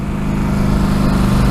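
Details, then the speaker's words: 2014 Polaris Scrambler 850 quad with stock exhaust, ridden at less than a quarter throttle on the road: steady, deep, loud exhaust drone. Rider notes the stock exhaust is loud; the engine is healthy. "first thing I kind of noticed is the exhaust is pretty loud for a stock exhaust I'm only about less than like a quarter throttle"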